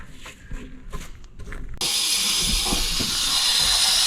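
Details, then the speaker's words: Ford King Ranch truck, passenger valve cover off, shop air fed through ICP valve port into high-pressure oil system (meant to hold ~1,000 psi): steady high hiss of air escaping; leak traced to damaged standpipe O-ring. "And so by putting air on here through the ICP valve, which I pulled out and put this fitting in, I hear air hissing and I know there's a leak somewhere. So I think it's back here somewhere."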